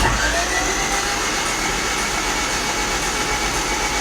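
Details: Honda Civic (92–95) D16Z6 cranked with oil to wet the cylinders: starter spins fast and evenly with no chugging compression beats, so the cylinders aren't holding compression. Owner hopes oil may help; cause unconfirmed.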